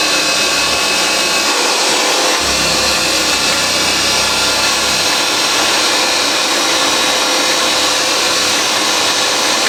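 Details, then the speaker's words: Vintage Hoover 612 vacuum after refurbishment: steady, even high-pitched motor whir with no rattles, grinding or surging; runs smoothly, thought slower than later models, iffy switch noted. "Switch is a little bit iffy there, it didn't click. Have a look at that, but as you can hear, it is absolutely superb. These machines, they actually, I think, run a bit slower than the later Hoover Celias, though they are pretty much the same motor."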